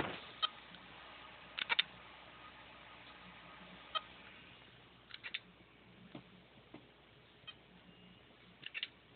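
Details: Seagate Barracuda 7200 750 GB drive on USB SATA/IDE adapter, after running two days straight and getting hot: sharp irregular clicks every second or two with faint high chirps/beeps; heads failing to read, drive won't mount.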